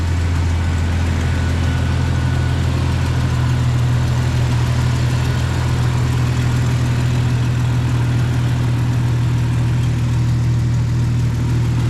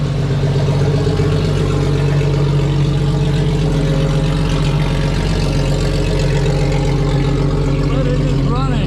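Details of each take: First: 1995 right-hand-drive Jeep Cherokee XJ with a used, never-heard replacement engine, idling after install: a loud, raw, throbbing exhaust note from remaining exhaust leaks. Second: 1995 right-hand-drive Jeep Cherokee, first run of a used XJ engine never heard running before, after a throttle body swap, restored fuel pressure, a new distributor and timing adjustment: a steady, even low rumble with no misfire or knock.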